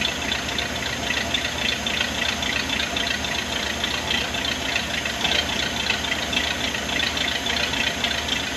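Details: 1979 Ford barn find engine running on its own right after fuel pump and fuel lines were fitted, needing a little gas: steady, even rumble with busy top-end clatter, no stumbling or dying; fuel delivery healthy.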